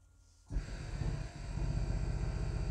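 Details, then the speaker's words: Mercedes W220 S320 Airmatic compressor run via diagnostic active test (lift front): silence, then low rapid chugging drone, soft and thin; first impression pump is weak, cause unconfirmed. "okay so the pump is activated my first impression is that the pump is weak"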